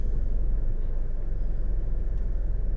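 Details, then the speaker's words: 2012 Nissan Rogue in Drive, after induction service, throttle body and MAF cleaning: deep, even idle with A/C switched back on, no shudder; great improvement over previous A/C-engagement shake. "I'm gonna turn it back on now I'm noticing a great improvement"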